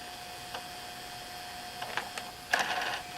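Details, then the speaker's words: JVC VHS-C camcorder recording after refitting the slipped take-up belt: faint steady hum with a few light irregular clicks, about five in three seconds, from the tape mechanism; owner expects the clicking to go away eventually, records properly. "You might be able to hear that clicking, but that is all it's doing, and I have a feeling that's going to go away completely eventually as well."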